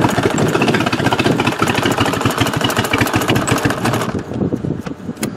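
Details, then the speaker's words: Used Toyota for demolition derby, dies when throttle released; runs rough with uneven, stumbling firing pulses at low speed, sounding like it's missing on a cylinder, cause not confirmed. "Ooh, this does not sound pretty. It sounds like it's missing on a cylinder."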